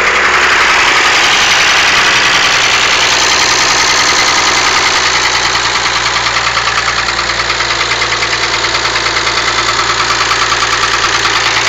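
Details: Mazda MX-6 with the KLZE V6 idling with a steady, fast knock, about three a second, over a bright, clattery engine sound.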